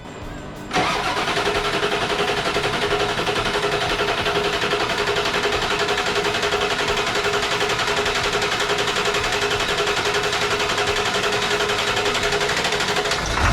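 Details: 1999 Ford F350 7.3 turbo diesel after fuel injector removal and replacement: quick crank and catch, then a steady even clatter with no stumble; the previous miss is gone and the turbo whistles.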